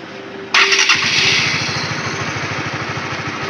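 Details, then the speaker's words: Honda CB150R with power loss at held full throttle: starter whirr, then the engine catches and settles into a steady, even single-cylinder idle with no misses; idle rpm is normal. "pada kondisi idle seperti ini, kondisi RPM normal. Kondisi ini normal."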